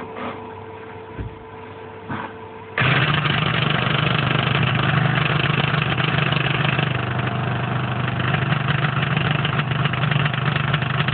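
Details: Copeland ZP182KCE-TFD-950 scroll compressor, warranty replacement, 380V 50Hz with electrical and frequency verified: faint electrical hum, then an abrupt start into a heavy, rough run with uneven knocking. It ran two cycles fine before knocking began, same as the first unit.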